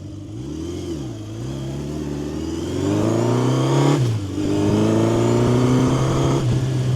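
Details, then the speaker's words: 1970 Honda CB750 K0 four-cylinder, fully rebuilt engine with 2,000 km since, low on fuel: smooth, even exhaust note rising and falling cleanly with each blip, no knocks or misses; normal running and revving. "I think this is uh pretty one of my uh favorite sounds. And you can hear it when you uh when you you stop, you can hear it uh in the exhaust uh"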